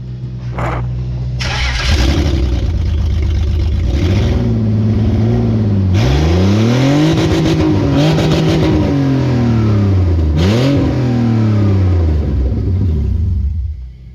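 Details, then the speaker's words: BMW E46 during an auto-to-manual conversion, started with the exhaust and heat shield removed: a loud open-pipe start, then clean, crisp free revs with no knock or misfire, a healthy engine. The rear wheel spun in neutral and traction control was flashing. "That was kind of scary because the rear wheel was spinning, even though it was in neutral. Yeah, traction control was flashing. Nice. Sounds good though. It didn't sound bad."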